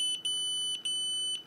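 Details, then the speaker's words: Xiaomi Yi action camera beeps three times and refuses to record because it cannot read its 32 GB class 10 microSD card; fix is formatting card on PC as FAT32, 32K. "it's beeping three times and it won't make the video once again the same problem"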